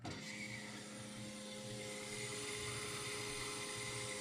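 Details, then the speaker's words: Dodge Stealth with no-fuel-pump fault, relay bypassed with jumper wire to power: quiet steady electric whine at constant pitch, fuel pump runs normally; fault lies in relay or ECU, not the pump. "you can hear the fuel pump run that is your fuel pump checked make sure your pump is good"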